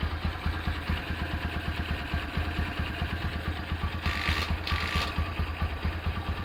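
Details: Rebuilt Honda Tiger Revo single-cylinder engine with reconditioned carburetor and BRT camshaft at idle: even, steady thump with only a faint occasional carb spit, which the BRT cam causes; the engine runs healthily.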